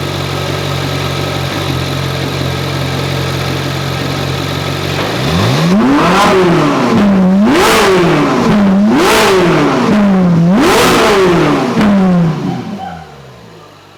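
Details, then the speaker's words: Ferrari 458 V8 just revived, first revs, kept modest having not exceeded 3,000 rpm since acquired: smooth idle, then four clean blips rising and falling evenly with no knocks or rattles; sounds healthy. "I'm not gonna go crazy but I kind of want to let you guys hear it a little bit since we're not getting any driving today alright here we go"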